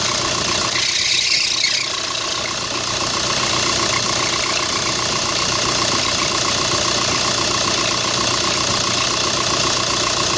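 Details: 2005 VW New Beetle TDI turbo-diesel idling, screeching on cold startup until the belt warms, with grinding from the accessory drive; new belt didn't cure it; the cause was a weak original tensioner pulley and a replacement alternator with a badly bent shaft, both replaced.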